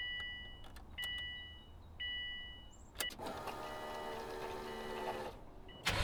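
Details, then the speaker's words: 2002 Subaru WRX starting after installing a Walbro 255 lph high-flow fuel pump; chimes and soft pump hum priming, then cranks and catches into steady idle; clean normal start, no leaks, pump slightly louder than stock. "there we go guys no leaks as you can see it works as well it is a little bit louder than the stock fuel pump but that doesn't bother me"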